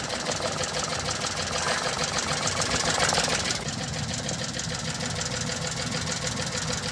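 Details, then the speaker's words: Mitsubishi Multicab 3G83 engine, low-power complaint: uneven, lumpy idle with a regular stumble over a rattly background; cylinder 3 is dead, with no change when its coil is unplugged even after a coil swap, while pulling cylinder 2's lead nearly stalls it. "so ito yung number to mga sir Papakita ko sa inyo pag binunot natin Ayon Halos mamatay na"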